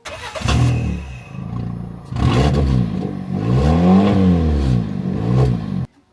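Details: Ford Ka Mk2, before the exhaust repair: the engine catches and revs with a loud, raspy, blaring roar that swells with each blip, because the battered old exhaust is blowing badly.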